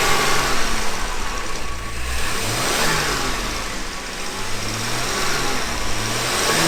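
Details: 1978 Jaguar XJ6 Series 2 barn find, off the road for 24 years, after a thermostat change, with the temperature gauge sitting normally: the deep six-cylinder engine revs up and settles back smoothly several times with no knocks or rattles and sounds healthy.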